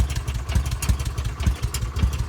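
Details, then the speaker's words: Kawasaki Mule 610 in neutral with the new replacement starter: brisk, even cranking with regular compression beats, no drag or slowing, fastest it has ever spun; old starter was slow, dragging and burnt-sounding. Normal starter cranking. "Let's just see how the new starter sounds. Oh, that is the fastest it's ever spun over."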